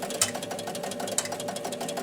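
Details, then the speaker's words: Williams Pat Hand electromechanical pinball after pressing start: steady fast ticking with sharper clicks about once a second as the score motor turns constantly while the bonus unit is not resetting. "Okay, same problem we had before. The bonus is not resetting. Hear the ticking. Okay. Score motor's turning constantly."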